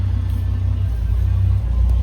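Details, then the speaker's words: 1982 Ford F100 long bed, carbureted with engine swap, barely warm, no choke: starts readily, then loud low rumble with slightly uneven, lumpy idle because it's still a little cold. "This truck is barely warm. Barely warm. And it starts like that when it's cold, too. You can hear the uneasy idle because it's a little cold and I don't have a choke on it."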